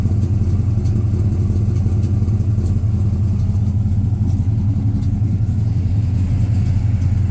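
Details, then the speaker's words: 1967 GMC Suburban, 402 Chevy big block, carburetor, new HEI, after a cold start at about 48–50°F: fast steady V8 idle that never drops back; the high idle keeps sticking. "Yeah, that high idle just keeps sticking."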